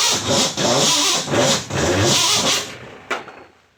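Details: Starter cranks in uneven pulses, about three per second, for under three seconds, and the engine never catches: cranks but won't start.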